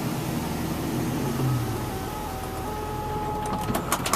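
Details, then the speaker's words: 2005 Chevrolet Venture with Braun Entervan II conversion, about 48,000 miles, conversion button pressed: steady motor whir as power ramp stows and sliding door closes, light tones and soft clunks as door latches; normal operation. "got a button right here press this button here and what's going to end up happening if you look over here the ramp's going to come up the door's going to"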